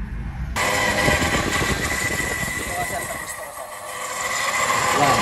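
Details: Noisy car aircon compressor, much louder than before, engine revved: rough, shaky drone with gritty rattle swelling with revs; aircon specialist found the compressor clutch bearing worn.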